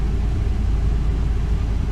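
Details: 2002 Ford E350 Econoline, 5.4 Triton V8, just over 100,000 miles, after new spark plugs and one coil pack for a misfire and P0351 code; deep, steady low idle with no stumble or uneven beat, smooth and even.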